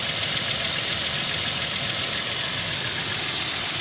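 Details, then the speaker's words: Toyota Tacoma, 50,964 miles, nearly at operating temperature after about six minutes: fast light ticking three to four per second over idle, louder as it warms; owner thinks engine defective, dealer says within spec. "there you go you can hear right here that's not normal see it sounds louder after each his operating"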